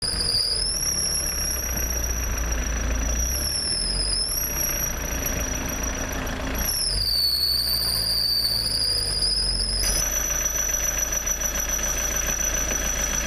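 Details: Ford Mondeo MK II 1.9 TD diesel (1999), engine running: a steady, piercing high squeal whose pitch shifts slightly with revs, which can come from a loose, slipping alternator belt that needs tensioning.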